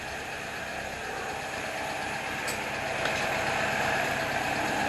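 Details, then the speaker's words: 1977 Toyota Celica with swapped replacement carburetor: slightly uneven idle around 1,000 rpm, a bit high, soft burbling exhaust; lumpy but steady, owner suspects ignition timing over-advanced. "down to about a thousand rpm still a bit high you can hear the exhaust got a little bit of a burble to it i think the timing is over advanced so that's our next step"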